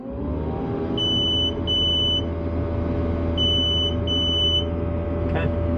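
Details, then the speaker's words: Diesel skid steer with key turned halfway before start, waiting on glow plugs: two long high beeps, a pause, then two more over a low rumble. This is the planned-maintenance-due reminder. "as you turn the key halfway again it's beeping at us for some planned maintenance"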